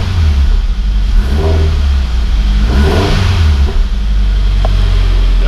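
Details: GT86 refitted engine with new forged pistons, rods, valve springs and oil pump, warmed up with oil temperature normal: blips up cleanly and drops back to a steady idle, even firing with no knocks, ticks or misses; healthy.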